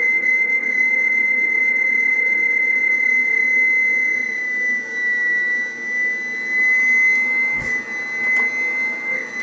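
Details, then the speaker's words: Radio reference oscillator being set by the zero-beat method on 10 m at 28.430 MHz: a steady whistle near 2 kHz wavers slightly in pitch. It was zero-beaten to the wrong frequency, so the radio is off frequency. "unfortunately I just zero Beed it to the wrong [ __ ] frequency of the radio hello 1 2 3 4 you can hear the difference so we're uh we're we're off frequency because I tuned it to the other [Music] one"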